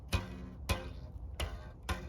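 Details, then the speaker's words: Experimental Egyptian duoflex bow being peaked and tuned, limb tips thinned: four sharp string releases with bright metallic twang, heard more on bottom limb; builder suspects bottom tip still needs thinning, thinning seems to be reducing it. "like I can hear it a little more on the bottom than on the top. So I think I got a little bit of thinning yet to do on the bottom."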